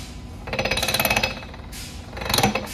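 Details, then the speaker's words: Semi truck transmission on the bench, taking off in second high with an improperly adjusted clutch: harsh pulsed gear grinding as the gear finally goes in, wearing the internal gears and sliding clutches. "you're affecting the inside that's what you're hearing grind in here when you mash it down finally it'll go"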